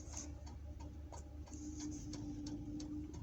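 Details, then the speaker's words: Diesel night heater's dosing pump set to full speed at three hertz, pulsing three times a second, each pulse sending fuel to the two-kilowatt heater; light, even ticks over a soft steady hum: normal dosing pump ticking. "that is the knight heater that's the pump they're like dosing pump so that's at full speed so i've got it set to three hertz at the moment so that's pump pulsing three times a second"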